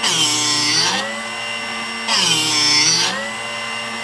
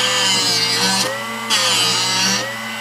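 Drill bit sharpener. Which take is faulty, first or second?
second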